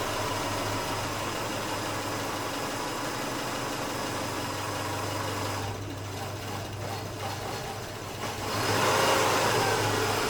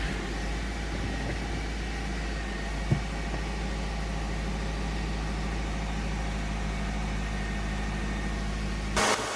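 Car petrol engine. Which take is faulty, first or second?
first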